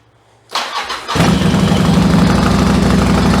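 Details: 1996 Yamaha XV750 Virago bobber after a single-carb conversion, started cold with the choke levers on: a short crank, then the twin catches and settles into a strong, even fast idle. A healthy cold start.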